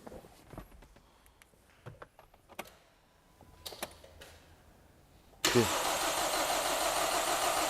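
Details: Hyundai/Kia G4KD petrol engine, first start after overhaul with Bardahl 5W40 break-in oil and fresh antifreeze: a few quiet clicks, then it catches at once and settles into a brisk, even idle with no knocking; normal start.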